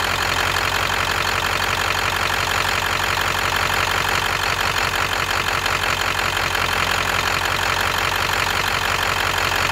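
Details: V8 idling with an uneven, lumpy beat, pulses dropping out irregularly about three times a second; rolling misfire, cylinder not pinned, possibly #8 (suspected, not confirmed).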